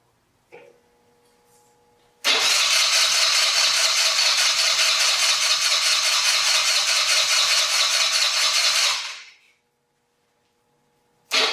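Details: 2020 Yamaha Grizzly 90cc kids' ATV that only ran on choke, after carburetor fix, choke on, 80°F: fires after brief crank, steady buzzy run about seven seconds then shuts off; running properly.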